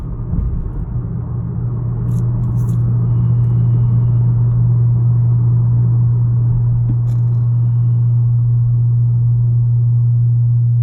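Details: 2018 Honda Accord Sport 1.5T, deep steady hum droning from the engine without changing pitch; abnormal humming noise, cause unknown.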